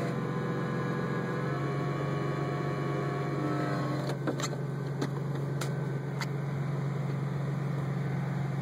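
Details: 2003 Roush Stage 1 Mustang; steady low hum with faint whining tones, then sharp clicks around four to six seconds; strange clutch noise, cause unknown.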